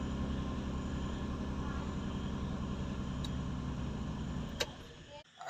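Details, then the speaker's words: Car engine idling after spark plug change: steady, even low rumble with a smooth beat, no misses or knocks, before being switched off; normal clean idle. "ನೋಡಿ ನೋಡಿ ಈಗ start ಆಯ್ತು"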